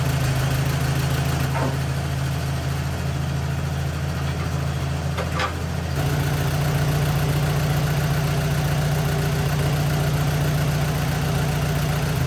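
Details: 1944 Allis Chalmers B tractor, sat many years, restored, repaired starter: after cold start, steady even low idle with smooth firing beat settling after a few seconds, no knocks or misses; normal.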